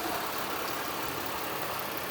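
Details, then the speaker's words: 2008 Chevy Uplander mobility van, V6, about 243k miles, hood open: steady, even hum at idle with no knocks, misses or ticks; engine idling smoothly and healthy. "Underneath the hood has the V6 engine, idles smoothly."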